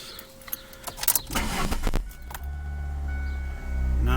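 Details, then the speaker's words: 2003 Ford Focus LX after replacing the broken EGR valve tube that caused a loud lawnmower-like rumbling: engine catches and settles into a steady, even low rumble with no rubbing or rumbling noise; healthy idle after the repair. "doesn't have any of that rubbing rumbling sound"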